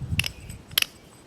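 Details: Mazda 626, idler pulley (water pump belt drive) with 19 years and 125,000 miles, removed after replacement: three short bursts of gritty, clicking roughness as it is forced round by hand; bearing worn, binding, near seized.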